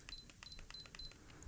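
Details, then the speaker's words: Canon A410 digital camera with a damaged lens that won't come out, showing error E18: four quick high-pitched beeps about a third of a second apart in a quiet room; lens error E18. "the lens is broken and uh it has an error E18"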